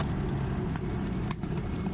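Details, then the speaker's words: P-51 Mustang V12 idle check after run-up, mag check (75 rpm drop each) and supercharger test: low, lumpy but even burble with steady firing, no misses; idles fine. "we push that back down we just do an idle check make sure old girl will uh will"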